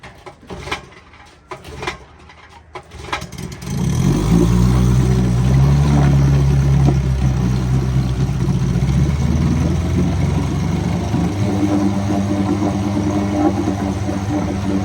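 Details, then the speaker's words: Vintage outboard, revived from non-running with new coils, new spark plugs, a cleaned carburetor and a restored pressurized tank, in a test barrel; catches after a few pulls into a smooth, even burble: a great runner. "Another great runner. Now this is a 16-to-1 mix, so it's very rich."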